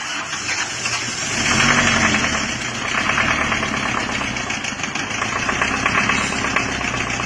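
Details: Diesel after new liner, piston rings and mechanism fitted, previously run out of coolant; still rough with uneven clattery knock at idle, traced to a dead injector nozzle.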